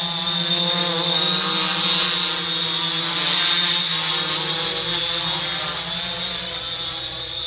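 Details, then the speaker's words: 3DR Solo drone in flight after upgrading from the OEM motors to Emax MT2216 810 KV motors, about 100–200 feet away: a steady, high, even whine with no wobble or rattle, much quieter than the OEM motors; normal motor noise in flight. "so you notice it's gotten quieter much quieter than the ome motors I'm pretty impressed with these"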